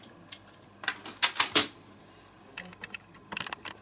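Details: ZX Spectrum keyboard with the membrane replaced by a 0.8 mm board of 1.5 mm tactile buttons: crisp light clicks in short irregular runs with quiet gaps, each button snapping cleanly; switches work properly.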